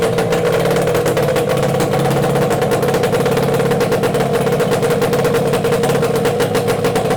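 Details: Yamaha 8C two-stroke outboard bought from Japan, run after unpacking; quick, even two-stroke buzz with steady firing pulses, no misses or knocks; running cleanly.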